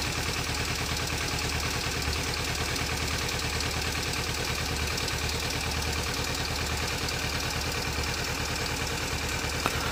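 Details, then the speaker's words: Kawasaki Ninja 300 idling, overdue for shim replacement: steady idle with a fast, even clattery ticking riding over the engine; valve clatter from worn shims, before the shim kit replacement. "you can clearly hear the clattering noise coming from the engine"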